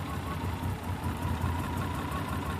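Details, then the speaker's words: 1986 BMW 528e after sitting for years, several minutes after restart following repairs to coolant sensor, O2 sensor, fuel pressure regulator and idle air valve: low throbbing lumpy idle, steady but shaking a lot; rough idle. "still running but I mean it's fairly steady but shakes a lot now"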